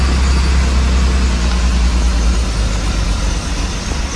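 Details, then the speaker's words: BMW E30 with M10 engine, 143,000 miles, running again after earlier stalling at idle: deep, lumpy idle surging and stumbling about three pulses a second as if about to stall, smoking; owner says it needs a tune-up. "It's very jerky and stuff cuz it needs a good tune-up. Sounds like it's about to shut off."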